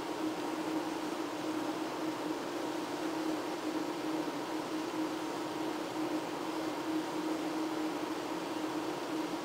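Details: Ventilation equipment installed April 2009 in basement boiler room, running loud 24/7 for past year: constant loud mid-pitched drone with steady unchanging hum; excessively noisy ventilation fan.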